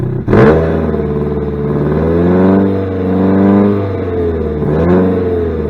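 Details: 2006 Saturn Ion Redline, supercharged, 116,602 miles: loud, raspy engine note rising and falling with revs, with a coarse chuff over the exhaust tone; major exhaust leak.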